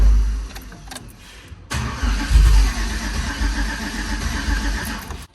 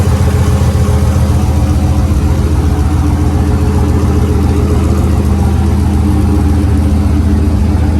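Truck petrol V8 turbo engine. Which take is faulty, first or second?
first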